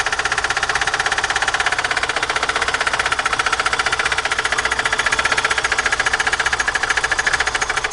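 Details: VAZ 2109: a loud, rapid, evenly spaced metallic knock, roughly a dozen a second, over the running engine; serious internal engine knock.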